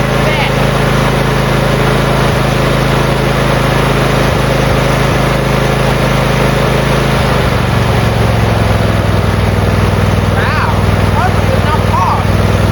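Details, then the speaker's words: Briggs V-twin riding mower engine, previously seized from running dry on oil and now unseized, run on starter fluid at full throttle with no choke: steady, even beat with no knocking or misfire that settles to a smooth idle, healthy on both cylinders. "Like, yeah, so first off, yes, we unseized the engine and it ran, like, perfectly."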